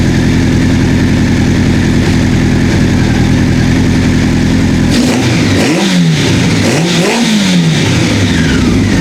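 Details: 1984 Honda CB700SC four-cylinder, first run after fixing a no-spark fault: steady, even idle with clean throttle blips that rise and settle; exhaust smoke clearing, no carb fuel leaks, owner thinks carb sync may not be needed; healthy.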